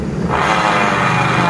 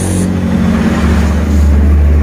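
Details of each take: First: 2020-2021 Honda Beat DX scooter CVT with the rear wheel spun by hand: loud, steady rushing grind that is smooth with the pulley removed and loud once it is refitted. The inner pulley bearing is worn; the front seal is also leaking. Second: 2020-2021 Honda Beat CVT with rough srok-srok noise when the rear wheel is turned: with the pulley removed the wheel and final drive spin with a steady even low hum and no grinding; pulley bearing identified as the usual cause.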